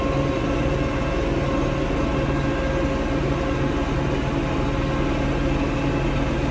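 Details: Diesel tractor that went into limp mode, capped at 1500 rpm instead of 2500, and stalled: uneven, lumpy running under loud clatter. It stumbles on water-contaminated fuel, found in strainer and water separator.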